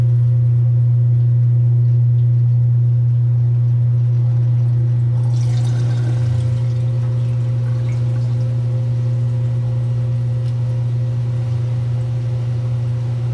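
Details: 1978 Kenmore 70 Series washer with new-old-stock motor, belt and pulley fitted: strong, steady low hum with a smooth even pulse about four times a second, no grinding or slapping; running healthy.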